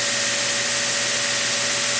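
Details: Prototype 2x72 belt grinder at full power during a vibration test, nickel standing on edge stays put; steady belt hiss with one constant mid-pitched tone, no wobble or knocking, normal running.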